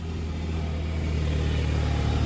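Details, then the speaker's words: VW GTI with stock exhaust, cold start: a deep rumble that swells as the loud secondary air injection (SAI) pump roars on; normal cold-start behaviour. "then intake when that sai pump kicks on it's so loud anytime now there it goes that sai does not play around"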